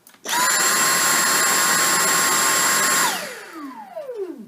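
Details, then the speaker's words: Dyson V6 cordless stick vacuum switched on for a sound comparison with the V7, heard through a basic microphone: a sharp high whine, steady about three seconds, then spinning down; the V6 is higher-pitched than the V7; normal running. "the V6 has a bit more of a high-pitched sound than the V7."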